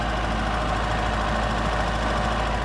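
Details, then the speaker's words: 1983 Toyota pickup, manual, cold start at idle: a faint, even rattling whir from the clutch area, suspected to be the throwout bearing. It goes away when the clutch pedal is depressed. "because when I depress the clutch, it goes away. That's cold start. And again, that throwout bearing, you can hear it."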